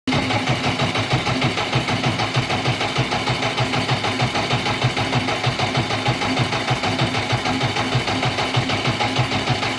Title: jcb444 engine misfire problem #dieselmechanic #enginerepair#shots